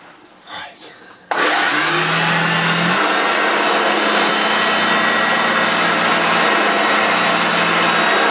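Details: Early Mk1 Hoover Junior 1436 upright vacuum on deep pile carpet: loud steady motor roar whose low hum steps down and wavers as the very loose drive belt slips and struggles.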